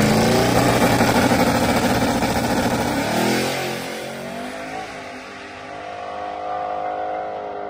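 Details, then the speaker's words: Z06 on Holley ECU, hard pull: engine screams up hard, then after top-gear shift revs go flat and stop climbing; Holley boost safety hit, reverted to wastegate, cutting power. "if you listen closely you could hear when it gets out there in high gear it just stops increasing RPM pretty much hit boost safety in the Holley so it just reverted back to wastegate"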